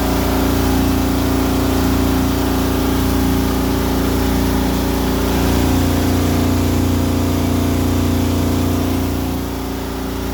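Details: Frigidaire Affinity AEQB6000ES0 dryer running with a loud steady low rumble, droning hum and faint thumping about three times a second; worn blower assembly, fixed by replacing blower housing, fan and motor.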